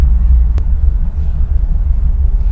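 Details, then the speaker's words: Chevrolet Bel Air after fixing squeaky disc brakes (pads not retracting from rotors), driving in town with brakes warmed up: only low road and engine rumble, no squeal on full stops; brakes now quiet. "again coming to a full stop no squeaks i'll tell you what i think this has been pretty good success"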